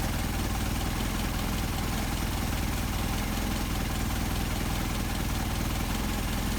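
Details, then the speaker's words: Engine with Solex 44PHH carburetors, idle screw set back to the midpoint for best, highest idle after adjustment. Steady, even low idle with a regular firing beat and no stumble or hunting. Smooth idle. "a few degrees of turn either way. It looks like a good idle right there, good idle speed."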